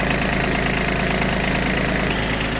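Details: Kubota Aste A-13 mini tractor diesel, idling with the hood open during the engine bay and battery check: steady, even chug with a smooth low beat and no knocks or rattles; normal idle.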